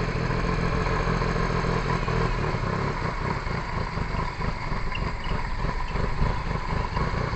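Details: Perodua Kancil after a carburettor change: starter turns the engine at about four beats a second for several seconds but it never catches and runs, a long crank with no start. Owner suspects timing needs adjusting, possibly valves.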